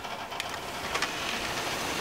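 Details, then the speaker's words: Roadside computer circa 2001-2002 at power-on, power supply fan not spinning: dry uneven rattling chatter over busy fan rush; source unclear, possibly graphics card. "I'm really not sure where that sound was coming from it could have been the graphics card which also could be the reason why that fan"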